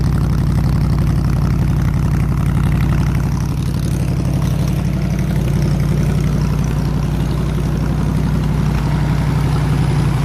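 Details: 302 V8 powering an air compressor, after the troublesome HEI distributor was swapped back to the old points distributor and the carburetor rebuilt: steady, even low rumble with a smooth regular beat, no misses or knocks; idling cleanly and healthy.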